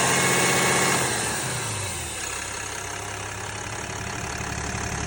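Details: 2022 Ram 3500: engine settles from a rev to idle with a steady airy hiss over the rumble throughout; source of the hiss unknown.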